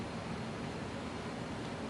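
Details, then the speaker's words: Evergo Model E-2 ceiling fan from around 1979, cast-iron motor, wood blades, nearly mint with good bearings, running on low on a 3-speed wall control: steady soft even whoosh with no knocks, rattles or hum swings. "So we'll go ahead and start it up on low. I've got it on a 3-speed wall control. Nice kind of aesthetic low speed, especially for a fan this small."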